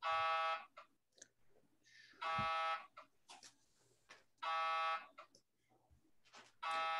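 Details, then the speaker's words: Hyperfine Swoop portable MRI scanner, running on a standard 110V outlet: loud, even buzzing bursts about half a second long every two seconds, steady pitch with quiet gaps; normal gradient noise. "that is the sound of a 3d fast spin echo t280 scan you can hear the buzzing of the uh"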